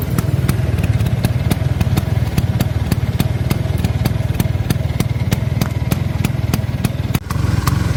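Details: Arancio small two-stroke engine after a rebuild: runs steady with a deep, even rumble and light regular ticking, no misses or stumbles; normal running.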